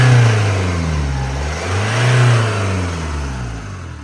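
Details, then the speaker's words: Camper van's freshly fitted replacement diesel engine at first start after fuel priming: runs unevenly, low drone swelling and sagging instead of a steady idle; rough running, injectors not yet calibrated, suspected cause unconfirmed. "It's shaky. you put all the bolts in. Well, it runs at least."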